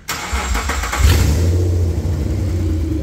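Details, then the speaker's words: 2005 Suzuki Grand Vitara 2.5L petrol with low power and rough running; restricted catalytic converter removed for back-pressure test. Engine cranks, catches and settles into a loud, deep, unmuffled rumble from the open exhaust; exhaust-stroke back pressure then read at about 0.5 bar at maximum rpm. "pretty damn loud stop that because it's loud as and we're scaring everyone"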